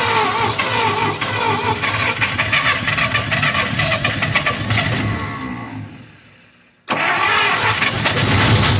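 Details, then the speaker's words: 1953 Buick Special being started for the first time since 1992 after storage, rotor cleaned: long uneven cranking, about three turns a second, no firing; has ignition, suspected lack of fuel; crank no start. "well i do believe it's getting fuel we just got to see where our hold up is here oh it's getting ignition it's not getting fuel"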